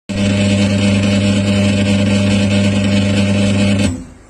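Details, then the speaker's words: Washing machine during spin: loud steady low droning hum with rough gritty friction edge, drum rotation uneven, cuts off sharply; dry, worn drum bearing. "cuci berdengung sangat keras teman-teman ya seperti ada suara gesekan teman-teman ya ini adalah pusing teman-teman pusingnya kering akhirnya aus teman-teman ya"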